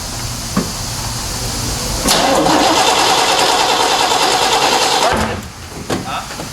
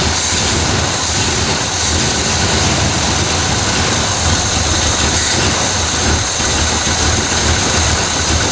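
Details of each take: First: 1968 Chevy Malibu V8 with Quadrajet carburetor, during running and timing fixes: brisk, even starter cranking for three seconds with no firing; engine is sparking but flooded and won't catch. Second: 1968 Chevrolet Malibu carbureted V8 with Quadrajet, after flooding start trouble, distributor advance parts replaced and base timing set to 12 degrees: steady low rumble under hiss, even with no misses or stumbles; healthy normal idle.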